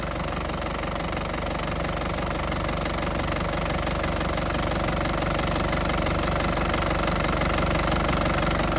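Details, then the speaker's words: Isuzu Panther Grand Touring 2010 diesel at hot idle, no smoke from oil cap or dipstick; even, crisp clatter about three beats a second, steady, no shaking; healthy, stable diesel idle. "Suaranya juga masih sangat renyah ya, masih sangat renyah, masih ciri khasnya Panther banget ya. Mesin sama sekali tanpa goyang, masih stabil banget."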